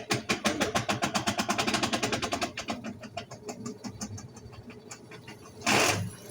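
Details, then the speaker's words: Consul washing machine on the spin cycle, its mechanism already replaced: rapid, regular crackling clicks that slow and fade as the drum spins, coming from the lower drive area. Cause unknown. "Tá ouvindo? Esse estraladeiro aí, essa zoada aí. Aí a gente vai ver o que é."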